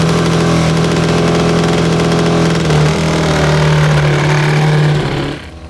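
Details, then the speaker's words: Rebuilt 1982 Honda CB750 DOHC 750cc engine (fixed stuck valves, new top-end gaskets) in a backyard cross kart, electronic ignition: uneven, stumbling idle with wavering tone; misfire, owners suspect a failing ignition pickup. "sounds awful yeah we've been having this problem um maybe we can try swapping over the ignition from the old engine inputs the uh uh pickups okay because we might have one going bad"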